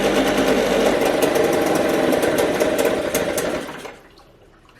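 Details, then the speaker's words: Small outboard boat motor that starts and revs well: busy, uneven patter, then it sags and dies within seconds, won't hold idle and stalls. Owner plans to remove and clean the carburetor; cause not confirmed. "So this engine's been starting up and running pretty good, and it revs up really nice, but when I let it idle, it'll idle for a while, and then it starts to conk out and shuts off."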